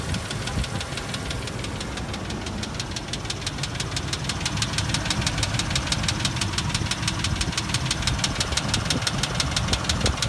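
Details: 2001 Range Rover P38 V8 at idle after head gasket replacement: quick, steady metallic ticking over engine hum, present before the repair too; mechanic suspects low oil pressure from the oil pump, unconfirmed.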